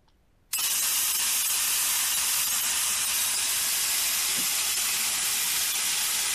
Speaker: so that's the type of noise and uh visualization you can you can hear once once you dig that up and and uh obviously you can understand why uh these sensitive devices could can hear that um traveling down the pipes